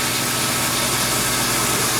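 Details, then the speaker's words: Water pump in an off-grid laundry in central Maine, supplying the washing machine's fill as the cycle starts, because the washer lacks an internal fill pump. Loud, steady rushing whir with no surging or knocking. Normal pump running. "You're going to hear the pump go on. It might be a little loud, I apologize for it, but it's got a funky sound to it."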